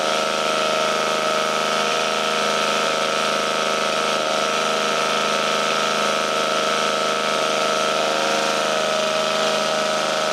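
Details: 1952 military DC generator engine, running after fuel tank cleaned, refueled and spark restored: steady, buzzy, even drone with no cutting out or surging; normal running.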